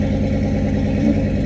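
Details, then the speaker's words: Old scrap car with twin overhead cam V6 from the 1990s, engine worn out: lumpy uneven idle with irregular low thump, misfiring and running on only three cylinders; to be crushed. "they are garbage they were garbage back then the motor's toasted in that thing it's only running on three cylinders"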